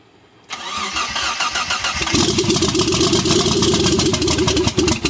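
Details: Mitsubishi 3000GT VR4 after rebuild (forged bottom end, billet twin turbos, MAF swap, big oil cooler, big FMIC): brief cranking, catches cleanly at two seconds, then steady, even idle with no knocks or misses; healthy engine.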